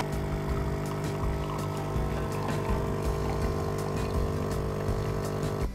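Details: Philips 2200 Series LatteGo automatic coffee machine brewing a very strong, medium-size coffee: steady low pump drone with a soft uneven gurgle for about six seconds, then cuts off; normal brewing.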